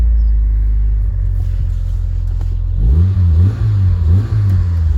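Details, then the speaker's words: Proton Satria GTI revival, with twin exhaust pipes; a deep, loud, boomy rumble that swells unevenly on throttle blips, and it is unclear whether this is an upgraded exhaust or a blown one. "I'm not sure if it's got beefy exhaust or if it's just got an exhaust blown let's see what twin pipes it's definitely quite beefy"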